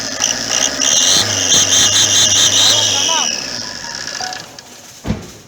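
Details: Opel Corsa 1.3 diesel: sharp, steady high turbo-like whistle riding over the engine, then fading; caused by a leaking exhaust manifold gasket.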